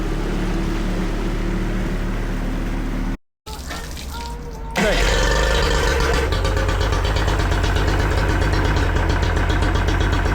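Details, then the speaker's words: Yamaha 40 hp two-stroke outboard idling by the water, cutting out under load: choppy, uneven beat with irregular pulses, rough idle, blue smoke and unburned fuel; bogs or stalls on throttle. Likely a fuel delivery or ignition problem. "The engine runs a little bit rough and has blue smoke and signs of unburned fuel in the exhaust. And when you give it a little bit of throttle or put it under load, it bogs down or stalls. That usually points to a fuel delivery issue or an ignition problem."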